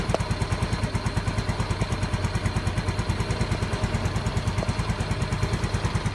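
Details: Yamaha Mio M3 scooter after the regulator is reinstalled and code 46 clears as the ECU detects charging OK: a steady single-cylinder putter at about three beats a second with a faint tick on top. Normal idle.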